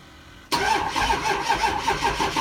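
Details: 6.0 engine, before bulletproofing: the starter churns in a steady rhythm of about four pulses a second but the engine never catches. Crank, no start.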